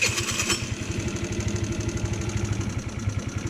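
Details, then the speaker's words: GY6 scooter with stripped, wobbling carburetor idle speed screw: single-cylinder idle with steady low putter that swells and dips, never settling; idle surging. "It starts up, and then the idle goes up and down as you just heard, and that's what it does."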